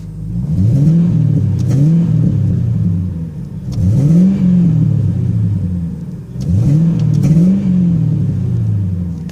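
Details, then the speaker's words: Engine warming up, revved repeatedly through a glass pack exhaust: rising and falling revs with pops and crackles on throttle closing; backfiring while cold, sound expected to come out more once the glass pack warms on the highway. "pops a little bit but I'm sure when that glass pack gets nice and warm from driving on the highway for a little bit sound would definitely come out a little more"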